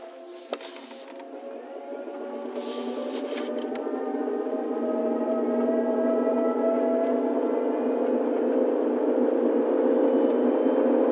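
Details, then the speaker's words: Hyundai Kona EV, about 11,000 km: light rapid tapping, about three or four a second, over a rising motor whine during acceleration, stopping when the accelerator is lifted; owner suspects the reduction gear. "then you'll hear the sound that's kind of a tapping sound that seems to come from the reduction gear you'll hear it stop the moment I take my foot off the accelerator and then return the moment I step on it"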